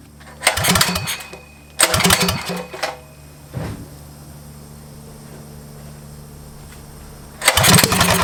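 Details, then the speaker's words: Motovox mini bike with Predator engine, abandoned outside two years: several pull-start bursts, brief catch settling to a weak low putter; runs only on choke and dies when choke is opened, owner plans to richen the mixture screw. "all right so the problem that we're having now is the bike runs on choke but once you put it onto um basically take the Chuck off it want to turn off"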